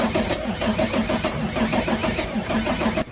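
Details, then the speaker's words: Diesel truck engine cranking with injectors disabled: uneven, puffing compression strokes with one weaker beat each cycle; blow-by through the piston rings exits the dipstick tube; relative compression test shows cylinder four low, engine needs rebuilding. "That's what it sounds like when there's compression leaking through the piston rings, into the crank case, and out the dipstick tube."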